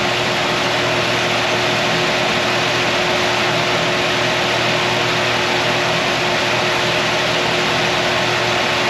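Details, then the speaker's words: 1955 Chevy truck with LS swap, first runs after 10 years: the electric cooling fan kicks on at 223 degrees over a smooth idle with a steady air rush and no rattle, runs about 36 seconds, cooling to 210-214; normal fan cycling. "so we're 223 it should be kicking back on just about any time now we're looking at this number right there so there's the fan kicking on"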